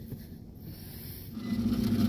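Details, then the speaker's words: Gas furnace inducer motor with 212 volts supplied, after resetting rollout switch: low rough hum swells as it spins up with a gravelly drone underneath; noisy inducer motor. "Alright guys, there's our noisy inducer motor."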